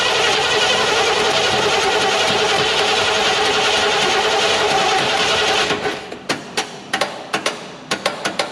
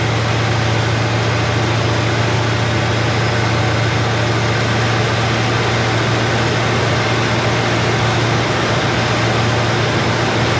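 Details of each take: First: Chevy Nova Super Sport with a replacement distributor, vacuum gauge on and ports plugged. Harsh grinding crank for five seconds, then uneven clicks. The starter is sticking and won't turn over cleanly; owner goes to smack the starter. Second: Chevrolet Nova Super Sport V8 idling after the distributor was replaced with a vacuum-advance unit; choke needs adjusting, good vacuum. Steady, even idle, deep constant hum, no misses, ticks or hunting: normal smooth running.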